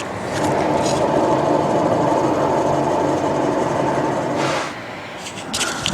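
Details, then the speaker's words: Ford Focus rear wheel bearing, wheel raised and spun by hand, mic held next to it, play felt up and down: continuous gritty rumble fading as the wheel slows; worn wheel bearing, gets louder with speed when driving. "so there's play up and down so now there's something on but what's really important is the noise when I spin this"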